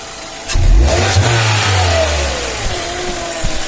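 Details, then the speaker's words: 2010 Hyundai Elantra after greasing clutch area/fork to cure whistle: engine starts, revs briefly, settles to even idle with no whistle from the clutch area. Normal idle after fix. "как мы сами слышал хотят работать двигатель никаких посторонних звуков свист и больше нет"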